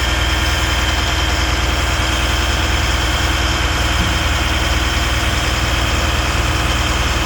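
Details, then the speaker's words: Abandoned Stewart & Stevenson M1078 LMTV military diesel truck on JP-8 fuel, first start after fuelling: loud, lumpy, unsteady diesel clatter at idle, about three beats per second. The idle is horrible. "my idle that's [Music] horrible"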